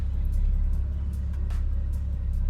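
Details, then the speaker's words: A Toyota Supra 2JZ has a loud, deep exhaust rumble at an even, steady idle with no hunting or surging, just after the idle air control valve was cleaned and reinstalled. It usually idled erratically around operating temperature. "so she's loud but as of right now she's idling consistently we're usually she starts idling kind of crazy around like heating temperature so we're gonna wait for that and see how it goes"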